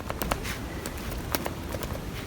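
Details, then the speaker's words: Mazda 2 / Demio Skyactiv (DJ) stabilizer link, removed and worked by hand: irregular dry clicks and knocks; rubber boot intact but ball joint inside worn out and loose, replaced with new stiff links. "This old one has a good rubber boot, but the joint inside is weared out. As I move it, you will hear a noise which indicates a really bad stabilizer"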